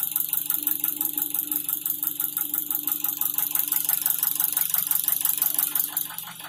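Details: Idle, 2003 Nissan Wingroad restyled, QG18DE petrol engine, automatic, AWD, running on gas injectors: sharp regular knock about three per second from deep in the lower end; oil pressure normal (0.12 MPa idle, 0.33 at 2000 rpm).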